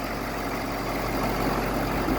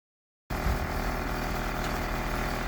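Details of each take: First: 2014 Ford F550 6.7 Power Stroke diesel after replacing fan clutch that caused grinding: steady, even idle with low rumble and no grinding; fixed. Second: 2014 Ford F550, 6.7 Power Stroke diesel, idling, sound from behind the grille emblem; rough gritty grind over the engine note, fan turns somewhat freely by hand; owner suspects a worn viscous fan clutch; fan clutch grinding.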